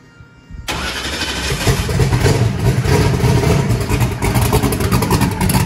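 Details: Truck converted from gasoline to methanol, with a belt-driven fuel pump: it catches straight away and settles into a loud, lumpy, deep V8 burble that holds steady. It idled richly at about 4.7 air/fuel ratio. Normal start and run.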